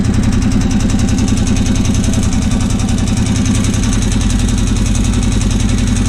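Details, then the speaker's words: Honda 650 with a snorkel, oil checked clean with no water: a steady idle with a dull, rhythmic rattle-knock of about three to four per second from mid-engine. The source is not pinned down and the cause is unconfirmed. "H wonder what that rattling noise is that suck have to tear this thing all the way down"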